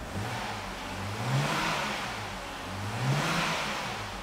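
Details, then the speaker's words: BMW E93 328i convertible, after rebuild following a thrown rod; no fault codes: two smooth throttle blips rising and falling cleanly with no knocking. Normal engine revving. "and it sounds good no little knocking noise now I know what a good fb2 is supposed to sound like so I'm thrilled"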